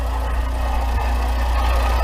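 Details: 2011 VW Voyage EA111 engine idling with the accessory belts removed: rough, gravelly whirr persists, pointing to a worn water pump bearing; timing belt and tensioner were also replaced.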